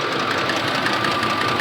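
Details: 2004 Ford F-150 Lariat 5.4 V8 at idle; quick regular sewing-machine ticking clatter over the idle, typical of worn cam phasers.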